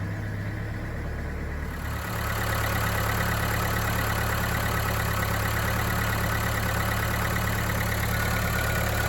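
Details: Mercedes B-Class after fixing fault code P0470 (exhaust pressure sensor): engine catches and settles into a smooth, even idle with a steady low hum, no knocks or surging; normal idle.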